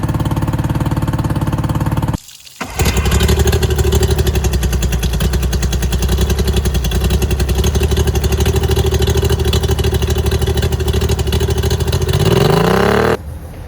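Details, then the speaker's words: Outboard on a restored abandoned 1756 Tracker boat, after electrical and water work, water pump working: steady, even running with a firm low drone, no misses or knocks; normal running. "Okay, we went ahead and got all of that electric, water work, and the engine is running great."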